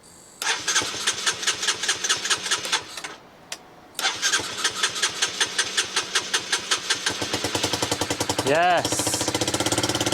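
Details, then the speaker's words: Low-mileage Honda CBR125 after replacing the injector, fuel pump and old fuel: several bursts of cranking, then the single cylinder catches, revs briefly and settles into a quick, even idle; likely a failed fuel pump made worse by old fuel. "kick ass so that was that so I'll leave that to run for a bit so the bike now runs"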